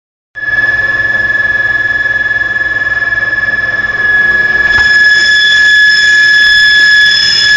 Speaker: this thing is making this kind of noise that don't woke me up